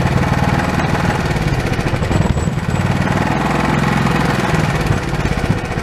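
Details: Old Honda pull-start engine, sat for years and earlier only running on starting fluid, now reassembled with the throttle hooked back up: catches and settles into a quick, steady putter with even firing throughout; running normally.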